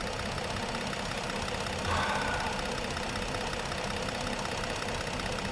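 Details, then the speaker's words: 2015 Ford Explorer 3.5 V6 at idle: steady idle with a faintly uneven, stumbling beat; power balance still shows cylinder 3 misfiring, which the relative compression test later flags. "power balance sounds like it's running a little bit better let's see still got a misfire on number"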